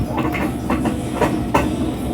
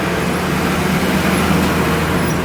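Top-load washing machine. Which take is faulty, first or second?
first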